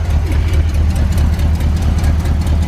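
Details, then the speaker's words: 1970 Corvette barn find V8 run off a gas can after sitting 10 years, idling: deep uneven stumbling beat, missing on a cylinder, with an exhaust leak heard, no smoke, oil pressure near 70 psi; plugs or wires suspected. "I can't believe it idles that's sitting for 10 years in it idles definitely missin though sounds good it isn't smoking"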